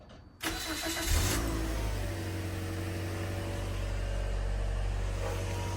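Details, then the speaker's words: 2010 Toyota Corolla S after timing chain replacement: cranks briefly, catches cleanly and settles into steady, even idle with no knock or rattle; sounds healthy. "So, if you guys can hear the engine started, right?"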